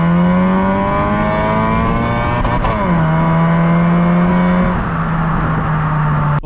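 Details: Honda Accord Euro CU2 with K-series engine, first drive after fitting Vibrant centre resonator (not delete), heat-wrapped PLM downpipe and high-flow cat to cure buzz: quiet, stock-like exhaust, smooth even tone rising and falling with revs, no drone or rasp; normal exhaust note.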